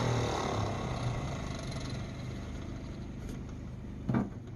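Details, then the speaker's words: 1948 Ford F5 bus abandoned 25 years, just started: lumpy uneven idle with irregular beat, fading slightly; owner says it needs a tune-up, carburetor rebuild and throttle linkage hooked up. Rough idle. "All right, guys, that's running in my eyes. Of course, we're gonna need to do a tune-up on it, rebuild that carburetor, get the linkages and throttle linkage hooked up."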